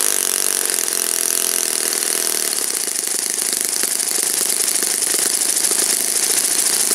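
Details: Saito FA-56 four-stroke glow engine, moderate-time, first run after teardown, cleaning and bearing replacement, 12x6 prop, OS F plug, Omega 5% fuel, static thrust run: steady high full-throttle buzz, even crisp note, no misses, surges or rattles; normal run.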